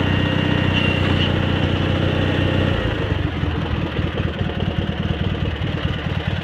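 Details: Cub Cadet 782 garden tractor with rebuilt 42-inch snowblower, started after sitting a couple days: steady even idle thump at settled speed, no misses, knocks or rattles; engine healthy.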